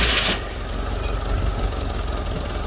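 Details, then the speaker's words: 1983 Jeep DJ5 postal Jeep, old cracked vacuum lines: rough, uneven idle with chuffing lumpy beat, engine shaking; misfire in one unknown cylinder, vacuum leak suspected, not confirmed. "Alright, you would think that sounds amazing. And it kind of does, and the fact that it runs. But, see it shaking back and forth. There's obviously a miss in one of the cylinders."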